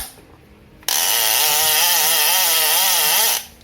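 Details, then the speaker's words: Older-production Shimano Torium 16 fishing reel during a service inspection. The clicker gives a crisp, even buzzing ratchet for about two and a half seconds as the spool spins, and it still sounds good: normal clicker. "untuk clicker masih bagus suaranya."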